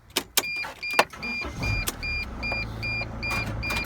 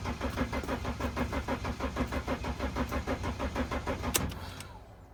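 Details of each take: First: Mercedes Sprinter van, restart after earlier no-start trouble: a few clicks, engine catches within a second and settles to steady idle under a warning chime; quick healthy start, slight hesitation felt, check engine light on. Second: Mercedes Sprinter no-start: steady starter chug about three turns a second for four seconds, then spins down without firing; cranks but won't start. Owner suspects disconnected wiring; bridging two connectors underneath with key on made the engine spin.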